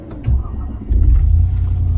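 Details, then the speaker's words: 1996 Range Rover P38 idling at the fuel station: deep, even low-rev rumble with a brief blip and no knocks or misses. Healthy engine; coolant reached only about 90 degrees, so the gauge reading is blamed on the gauge or sender. "Oh, that's such a good sound."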